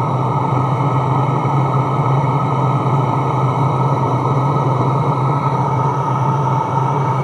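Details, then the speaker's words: Portable Chinese diesel heater built into a custom aluminum box, first minutes after start-up: pump and ignition audible, steady fan hum and smooth combustion roar, a little smoke at start, warming up normally, reaching full temperature within about three minutes. "you can hear the pump you can hear ignition it's blowing out just a little bit of smoke when it first starts up and she's starting to warm up"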